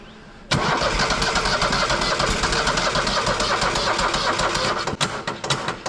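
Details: Tuff Bilt tractor after carb cleaning, fouled plugs and oil change with overfilled oil drained; sluggish, uneven starter churning about four turns a second, never catches; slow cranking, battery needs charging.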